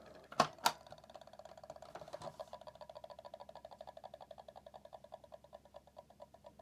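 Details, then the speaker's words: PlayStation 1 at power-on, before servicing: two clicks, then a fast even rattling tick about four per second from the CD-ROM drive, louder than a lawn mower; noisy worn, dry spindle motor. "I think it's going to become pretty obvious the moment we power it on yeah I've had lawn mowers that sound better than"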